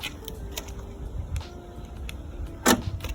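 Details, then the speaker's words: Auto-Trail Expedition 68 camper van central locking: single solid clunk after the key-fob button press with small clicks around it; doors locking normally. "now if I press that you can hear it could clunk which means it's locked"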